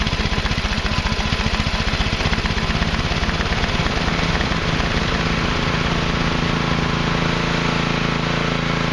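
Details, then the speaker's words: Craftsman Hydromatic mower, 15.5 hp Briggs and Stratton OHV, running after excess oil was replaced with the correct amount: a fast, even beat at steady speed with no misfire or stumble. Normal running. "As you can see, obviously it runs now that it's got the correct oil in it and stuff."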